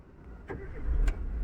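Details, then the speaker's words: Chevrolet Aveo after repair of idle RPM fluctuating at start: engine cranks briefly and starts cleanly without touching the accelerator (previously needed pedal pressed), settling to a steady low hum; normal start. "Oscillator பெடலில் கால் வைக்கவே இல்லை. வண்டி நம்ம start பண்ணிட்டோம்."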